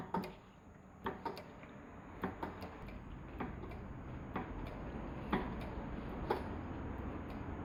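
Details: Motorcycle with front-end clattering when braking, location check only: sharp uneven clicks roughly once a second, a loose tapping rattle from the front end. Cause not yet found.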